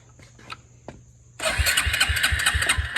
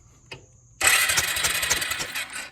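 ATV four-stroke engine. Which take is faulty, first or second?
first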